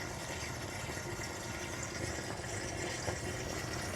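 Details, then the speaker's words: Reef tank protein skimmer with its air intake tubing removed: constant rushing hiss of water and drawn-in air with gurgling, 58–59 dB versus 52–53 dB with tubing attached. "so that is how it sounds with the tubing removed you can actually hear the water kind of like the water gurgling it's much quieter with the tubing on"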